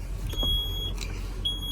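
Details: Junkyard garbage truck on cold day, batteries under 10 volts jumped from another truck: high steady beep in long pulses over low idle rumble as the do-not-shift warning buzzer sounds with warning lights blinking.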